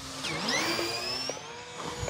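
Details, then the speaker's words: Tower Hobbies Cessna 400 1.1m electric RC plane on its maiden flight. The motor whine sweeps with throttle on a pass, with a brief odd blip that sounded like the ESC or motor. Cause unclear. "did you hear that noise I did that little that sounded like a predator ESC motorise"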